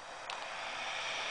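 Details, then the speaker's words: Rotating electric siren test with tone generator unplugged: steady airy hiss with one faint tick near start, electrical noise picked up through the siren's wireless receiver. "see sound comes out of there and that hissing is because of the wireless receiver okay and also yeah that that's what that hissing is"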